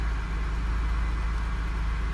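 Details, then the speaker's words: 1999 Honda Odyssey after fixing a no-start with flashing green immobilizer key symbol: now starts; low smooth even idle with no misses, knocks or ticks. "what we were getting it was flashing which indicates that the vehicle does not recognize the key so now it starts up"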